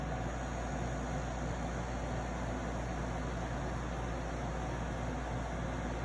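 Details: Arctic King 8,000 BTU (12,000 BTU ASHRAE) window air conditioner running: steady, heavy low buzz with a rough hum from the compressor; owner suspects a defective or mishandled unit, cause unconfirmed.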